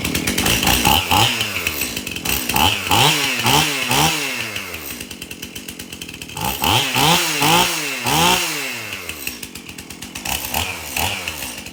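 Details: Stihl MS271 chainsaw, hard to start, suspected bad fuel; after tank found clean and fresh mixed fuel added: crisp revs climb and fall back to steady idle repeatedly, no stumbling or bogging; runs pretty good.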